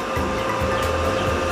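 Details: Lakoni 900 W welding machine, reported to power on but give no arc, being serviced: steady fan rush with constant unwavering hum, no grinding or crackle; machine powers up and runs normally while voltages are checked.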